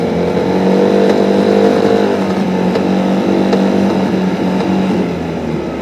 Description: Beim Beschleunigen nagelt der Motor